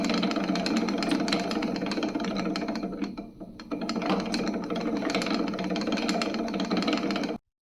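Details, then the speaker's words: Spinning wheel bobbin with too much play between its bore and the spindle, jumping and clacking loudly against the spindle in use: fast, uneven wooden clacking, three or four a second. "In this particular scenario the bobbin has too much space between the internal diameter and the diameter of the spindle which causes the bobbin to jump during use and clack against the spindle."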